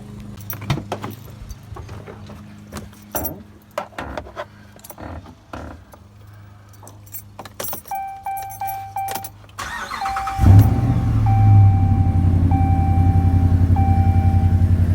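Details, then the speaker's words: 2016 Ram 1500 with 5.7 L Hemi V8 after spark plug replacement and oil change: keys rattle, the engine catches quickly and settles into a smooth, even idle under door chimes; running smooth. "Seems to be running smooth here."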